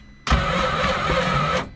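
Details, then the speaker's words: 2014 Scarab 195 supercharged jetboat, 300 hours, locked up after shutting off on water: with supercharger removed, starter turns engine over heavily and far too slowly, never catching; still slow, jet pump next to check, owner suspects possible spun engine bearing. Slow cranking. "That's still slow. Okay, so next thing is going to be the pump."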